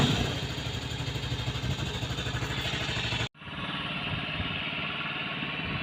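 Small single-cylinder buzz holding a fairly steady idle with brief blips of throttle, running cleanly without stumbling.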